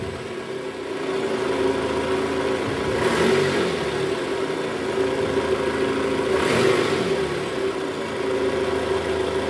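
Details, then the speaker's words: Toyota Estima 2AZ-FE after replacing the worn balancer shaft, which was blamed for a rough, diesel-like sound with AC on in R or D: smooth steady idle in gear with two clean throttle blips, no roughness; engine back to normal. "Suara mesinnya sudah kembali normal ya, sudah halus, nggak kasar lagi seperti di awal video tadi tuh."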